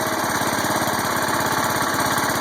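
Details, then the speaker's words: John Deere 140 Hydro lawn tractor, warm after 15 minutes idling, in neutral after freewheeling-valve adjustment to cure hydro creep: small single-cylinder idles with an even, fast putter, no knocks or rattles; healthy. "It's in neutral. No funny noises. That's always a good thing."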